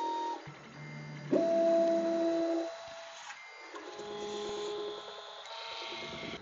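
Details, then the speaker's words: Prusa Mk3S with MMU2 moved over from a Mk2.5, new faster homing procedure: clean stepper tones switching pitch, no grinding or skipping; homing healthy. "So this is the new homing procedure. This is still 3x3, but it's so much faster than it used to"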